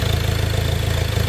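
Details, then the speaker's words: Ford Ranger diesel that was knocking and would not start, with water found in the injectors, after repair and bleeding: steady low diesel clatter with an even beat and slight unevenness, idling fine while still bleeding air from the fuel. "Umaandar na mga boss. Ganon kabilis."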